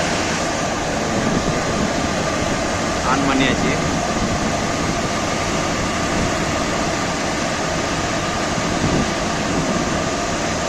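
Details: Carrier package unit blower running with a steady, even rush of air and no knocking, squealing or grinding after the damaged blower shaft was lathe-repaired and a new 206 bearing and 1750 SPZ belt were fitted.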